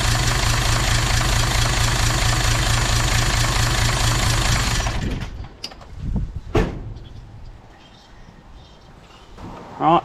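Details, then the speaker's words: Toyota 2H turbo diesel in a Jeep: heavy idle with an uneven, thudding beat about four per second until shutdown; cracking injector lines changed the back five cylinders but not number one, so the fault is suspected in cylinder one. Not confirmed. "whatever has gone wrong is in number one cylinder so I went through and cracked all the injector lines and you can hear the difference on the back five but there was no change to the way ran on that front cylinder"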